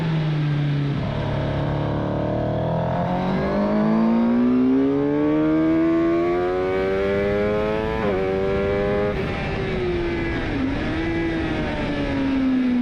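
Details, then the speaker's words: Rebuilt crash-damaged Suzuki GSX-R750 inline four revving at low revs and low throttle: uneven gurgling note, sounds like it's dropping cylinders; poor low-rev running, needs dyno tuning, cause not confirmed. "There's quite poor running at low revs and low throttle openings. It actually gurgles. It actually sounds like it's dropping cylinders."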